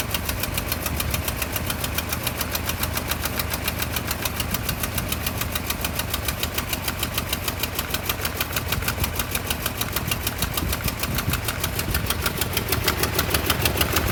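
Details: 1988 Toyota Pickup 22R four-cylinder with Aisin carburetor, after head gasket replacement: idle has a lumpy, uneven pulse about three beats a second that never settles, a rough idle.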